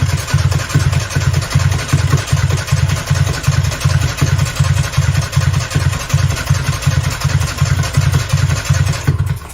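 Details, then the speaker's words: 1995 Nissan truck, carbureted, with new plug wires, plugs and battery, fuel pump and starter fuses checked, firing order verified: even starter cranking for ten seconds that sounds close to firing but never catches. Owner suspects fuel; compression and timing chain unchecked. "okay so that's how it sounds it sounds like it's about to fire up um so it may be a fuel issue"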